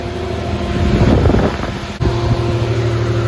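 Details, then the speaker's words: Pontiac Fiero, newly installed Proform 67016 16-inch universal electric radiator fan replacing the stock fan, in 7-degree weather. Steady low fan hum over the running engine, no rubbing or ticking; pulls more air than stock, working normally. "I don't know how well you guys can hear me, but the fan is working great. It is pulling a lot more cold air through than it did before with the stock fan."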